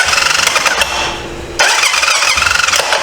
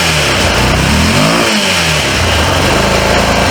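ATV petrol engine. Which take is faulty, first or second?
first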